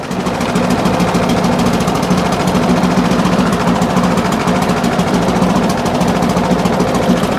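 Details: Briggs and Stratton push mower after a new spring and new air filter, engine sped up: it stays lumpy with irregular firing that never smooths; carburetor needs looking at, likely a clean plus gasket and diaphragm change.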